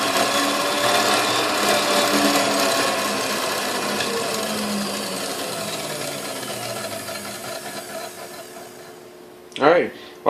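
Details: Hamilton Beach Model C mixer with a previously replaced cord, before restoration: steady whir fading, short clatter at the end, no grinding; runs, bearings seem good.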